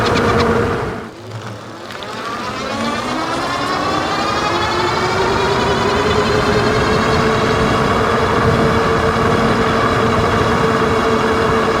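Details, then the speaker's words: Wallke H7 AWD e-bike (48V 40Ah, 1000W rear, 750W front geared hub motors), GoPro near the front wheel, full throttle at high speed: whine rising in pitch, then holding high; seemingly absent in PAS 4; cause unknown. "a all right so you can hear there with the microphone down below hopefully a little bit better the w w noise it was making now that's usually when it's full throttle getting up to high speeds"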